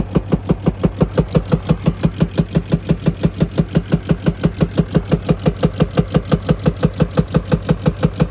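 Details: 2020 RAM 2500 Cummins diesel at idle: heavy, even knock about three times a second, with black exhaust smoke when revving and misfires; cause suspected, not confirmed.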